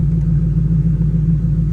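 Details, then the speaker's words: 2010 Mustang GT 3V with ON3 turbo kit, idling cold while warming up: a deep, steady burbling idle with an even low rumble and no knocks or whine. Healthy. "It's been cold a couple mornings here lately. But anyway, she's warming up now."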